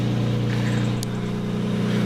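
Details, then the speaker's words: 5-speed manual Lexus SC300, lukewarm start just off the trailer, at idle: steady exhaust note with a raspy puffing edge from an exhaust leak. "But yeah, that noise that you're hearing is actually coming from over here. It's an exhaust leak."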